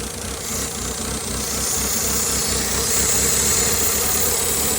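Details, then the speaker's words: 2016 Mitsubishi Lancer with a freshly installed engine, run after sitting 3 years; unsteady idle with a thin high hiss from an open vacuum port leaking air, and the idle improves when the port is covered. "So then as soon as I cover it, it idles better. So I gotta figure that out. Once I cover that, it's gonna idle a lot better."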